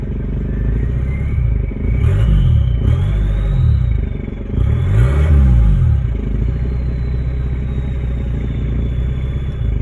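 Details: Toyota 2L-TE diesel (97 hp) near idle with the exhaust pipe detached: deep rumble with a loud thin turbo whistle that rises and falls with each throttle blip.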